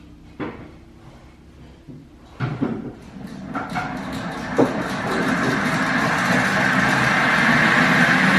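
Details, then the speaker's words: Lifted limo golf cart on jack stands, just after fitting a used replacement axle. After a couple of knocks, a loud gritty drone swells as the axle spins up, louder than the original noise; the owner plans to drain and inspect the differential. "well that sounds louder than my original problem we need to drain the diff"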